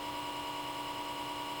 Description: The new Comcast Xfinity X1 DVR box is loud! It just constantly buzzes with an Extremely Annoying Sound!